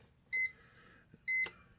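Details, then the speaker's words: CyberPower CP585LCD UPS after a new battery is fitted to fix continuous double beeping: two short high beeps about a second apart for the normal power-on self-test, a relay click as it checks the battery, then no more beeping. "its double beep for its self test and you notice now now it's not beeping and you just heard the relay click it's checking the battery"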